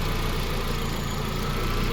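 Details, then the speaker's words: Hyundai Genesis 2-litre turbo petrol engine (automatic) for a Gazel truck, runs on petrol, methane or propane; deep, even idle with steady low rumble, no knocks, misses or surges, smooth enough to balance a coin; normal idle. "Xudo xolasa zavod bo'lishlari yarimtaga zavod bo'lyapti. Ishlashlari ham mana tanga qo'ysa turadi, xudo xolasa."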